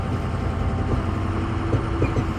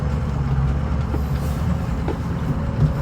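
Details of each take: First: 2006 Ford F-250 6.0 diesel on a rough road before Energy Suspension cab bushing replacement: slow driving with low engine drone and scattered dull clunks from under the cab from worn cab mount bushings. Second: 2006 Ford F250 from inside the cab while driving, after replacing the cab bushings with Energy Suspension parts: a steady low road rumble with no knocks or clunks over bumps; the only noise is change in the overhead console.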